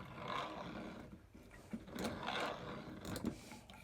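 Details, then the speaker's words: 1950s Armin Trösser Mokka hand coffee grinder, burrs adjusted to just touching, grinding a 7 g serving: soft even purr rising and falling with each crank turn, not labouring; burrs correctly set, normal grinding. "I just want to hear it purring nicely, but not labouring."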